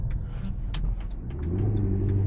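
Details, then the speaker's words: Car lent out for a weekend of hard driving, tight before: deep drone from the front swelling as speed rises, an awful howling noise; cause unknown. "he did a lot of driving in it, and it sounds absolutely howling now."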